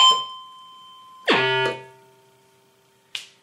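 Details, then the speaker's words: ARP Pro Soloist synth, clarinet preset: a note is struck and released, yet a faint steady tone keeps sustaining indefinitely instead of dying out; some presets keep sounding after key release. "other patches like clarinet you can hear the the note continued sustaining indefinitely"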